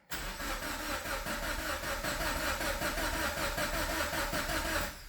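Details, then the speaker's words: Scion FR-S with freshly rebuilt engine just reinstalled, fuel pump relay pulled, cranked after filling with oil to prime oil: starter spins at a steady, even chug for about five seconds without firing; normal cranking, no start, oil priming. "okay we pulled out the fuel pump relay which is right here and I'm gonna go ahead and crank the car to get oil through it"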